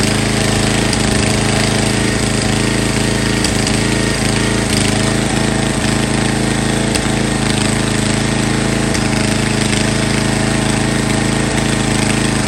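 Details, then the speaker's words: MTD Yard Bug riding mower bought abandoned: scattered hard clunks every second or two over the engine drone as the drive jumps in and out of reverse, then sticks in reverse; frayed gear select/shift cable shown. "I'm not sure if you all hear that clunking sound but it's jumping in out of reverse um and now here is stuck in reverse"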